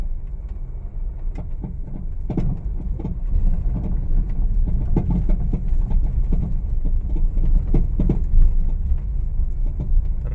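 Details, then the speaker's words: Honda Mobilio test-driven on a rough village road before repair, with noise absent on smooth roads and reaching the cabin: uneven hollow clunks on every bump over road rumble from the front end; loose stabilizer link clunk. "Tapi ini kalau di bawah jalan yang keriting bunyi pating glutuk seperti ini nih sambil kita amati Ya Bro ya kita jalan nih oh bisa kedengaran engak Ya Bro ya bunyinya itu ramai banget nih bunyinya sangat-sangat tidak nyaman"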